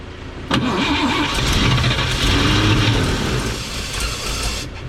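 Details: 1954 Chevrolet 3100 pickup, rebuilt engine then stored ~15–17 years in a chicken coop; fuel now in carburettor, choke shut, humid day: steady starter cranking with occasional stronger puffs as it tries to catch, yet never runs.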